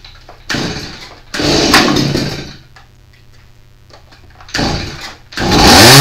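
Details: Stihl MS170 chainsaw bought used; it runs but won't rev: the small two-stroke fires in short bursts, bogs and dies each time the throttle opens, then catches again. Compression test showed under 25 PSI against 90+ needed; low compression.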